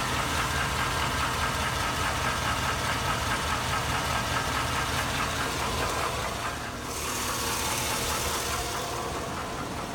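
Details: 2002 Chevy Avalanche 5.3L Vortec on 5W-30 oil, rarely driven, at idle: regular light knock a bit over two per second, louder as the engine warms and worsening over time; owner unsure whether lifter tick or rod knock.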